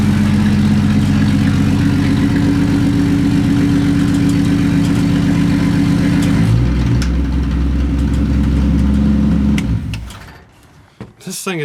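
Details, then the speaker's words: 1965 Mustang after fixing a terrible noise from a rear brake drum, running and watched at the back wheel: steady engine drone with a smooth speed change and no scraping, grinding or rubbing; brake noise gone. "be good I don't hear the noise seems to be okay"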